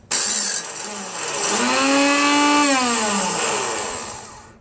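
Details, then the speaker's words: Craftsman 5.5 hp 26-inch OHV snow blower on choke at full throttle, electric start pressed: starter motor whines up, holds and coasts down with no cranking. Its rusted shaft stops the spring-loaded drive gear from engaging the flywheel. "The shaft on the starter is so rusted. There's a spring and a gear on it. When you press this button, it spins in one direction where it sucks the gear in."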